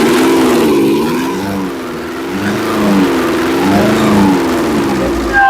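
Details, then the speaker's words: Nissan Urvan E25 ZD30 diesel that shakes, smokes and stalls after long running, then won't restart until morning. Here it starts on one kick and revs up and back smoothly with no knock or misfire; idle and free rev are normal. "Kalau kita perhatikan ni barang, ya, dia tiada masalah. One kick, idling pun cantik."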